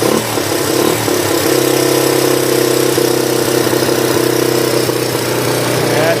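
Engine settles into a steady, even idle right after a cold start, no misses or knocks, sounds healthy.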